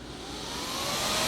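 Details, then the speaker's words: KTM dual sport motorcycle with a newly installed 2-wire 120mm PC case fan as the radiator cooling fan, switch-operated, tested after wiring and fusing. The whoosh spins up and settles into a steady airy rush with no ticking or rubbing: normal. "that fan starts blowing, and as you can hear it, it's pushing a lot of air through there."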